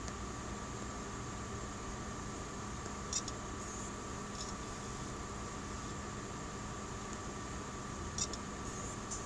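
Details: Seagate 2 TB SSHD (ST2000DX001, bought 2014) during computer boot: steady fan hum with sharp irregular random clicks every few seconds on read, less frequent when hot; Windows crashes with blue screens.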